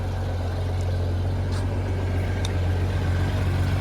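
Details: 1994 Honda GL1500 Goldwing Aspencade after aftermarket fuel pump replacement, running 20+ minutes and nice and warm: deep, steady low rumble with an even beat, no knocks or misses; normal warm idle, zero smoke.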